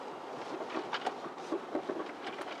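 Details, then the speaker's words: Ford Taurus driving over bumps: irregular short clunks and rattles over road and wind noise from worn front sway bar end links, fixed by replacing them. "well my friend that is your front sway bar links we're going to change them we'll show you how to do it anytime you hit a bump you get a rattling noise in the front"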